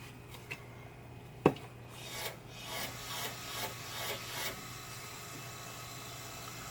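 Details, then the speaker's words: 2007 Toyota Prius (brake fluid ~10 years old) bled without scan tool; 8mm wrench on open rear bleed valve with hose and jar, brake actuator pump runs on its own pumping out fluid, steady low electric hum under handling noise; normal. "hear it or not, but the pump in the brake system is pumping out the brake fluid."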